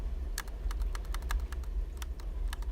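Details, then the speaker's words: Xbox Elite controller that failed after nine months, left shoulder bumper after temporary DIY repair: crisp light clicks over low room hum, each snapping back cleanly; before repair it had no clicky sound. "now it bounces back. There you go. Before it did not have that clicky sound."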